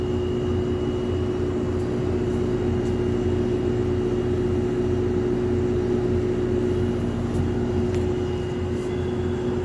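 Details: Lloyd AC under warranty, still not fixed after two service visits, heard indoors with the outdoor unit behind a corner: a steady mid-pitch drone with a faint higher whistle, like a train horn, over the fan rush; a high-pitched hum.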